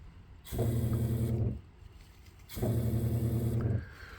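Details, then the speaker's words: Rain barrel system with an Eco-Worthy pressure pump inside the wall feeding a full-pressure hose: two short bursts of steady low motor hum as the pump kicks on and off with each hose handle press; normal cycling. "So that pump inside, you can hear it just inside the wall here whenever I do this."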